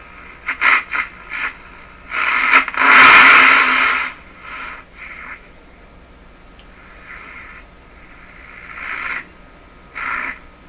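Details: Philco 47A tube radio after five capacitors replaced, on a dim-bulb supply at about 100 volts, no antenna (just a wire): bursts of crackling hiss with no station or voice, normal; needs more antenna.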